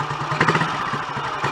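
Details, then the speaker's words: Royal Enfield Model G 350 single, running to circulate oil: steady even thump, light valve-gear clatter, no knocks or misses, surprisingly quiet magdyno gear train; normal idle. "That sounds so much happier with life. I'm surprised it's that quiet actually, because the gear train up to the mag dynos can be quite noisy in themselves."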